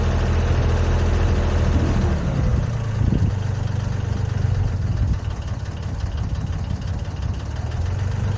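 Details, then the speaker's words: Komatsu PC10-3 mini excavator diesel at low idle, just enough to keep the battery charged: low, even thrum with steady beat and no knocks or misses; healthy settled idle. "That's the sound the machine makes at low idle. Just enough to keep the battery charged and not discharge it."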